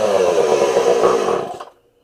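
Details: Homelite 240 chainsaw after carb adjustment (low jet had been out about eight turns, now turned back a full turn; high jet opened): high buzzy run wavers unevenly about 1.5 seconds, then dies; rough running and stalling, mixture still not set right.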